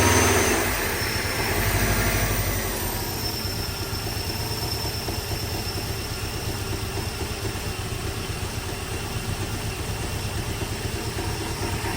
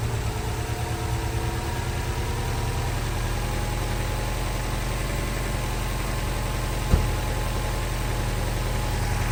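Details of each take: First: Freshly installed engine with a blow-off valve, on its first start: a thin, steady, high-pitched hiss over an uneven idle. A small leak at the back of the exhaust manifold; once fixed, it sounds normal. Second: Newly installed engine with blow-off valve, first start, after fixing a small leak at the back of the manifold that caused a high-pitched sound: steady, even idle with a smooth low hum, no hiss or whistle; normal.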